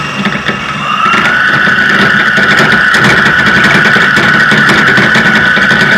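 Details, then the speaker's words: Electric motor run on a deliberately wrong controller setting: a high whine climbs sharply and holds high, much faster acceleration than the previous controller gave; the motor overspeeds but is not hot, and the setting is then corrected. "pero es posible que cuando haga cambios de velocidad haiga una aceleración exagerada va bastante ya va bastante mayor a lo que nos proporcionó el otro controlador"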